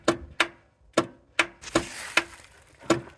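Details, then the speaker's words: Vintage Craftsman 917 lawn tractor, key turned: seven sharp single solenoid clicks at uneven intervals, no cranking follows; solenoid engages but starter never turns, voltage at starter wire to be checked; cause not yet confirmed. "And I'm going to show you when I try to start it, you're going to hear a click. That's the solenoid closing, sending power to the starter, but you're not going to hear the starter run."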